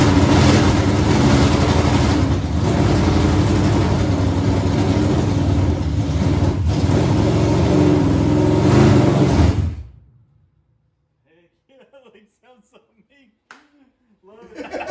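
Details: Chevy 283 V8 in a 1974 Chevy Nova, first start in 50 years after timing correction: runs strong and fairly even about ten seconds with low steady rumble, then shuts off; normal running.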